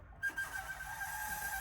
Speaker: yep it's coming through but something's up with this VCR listen that is not pretty all right that needs to be pulled and F fixed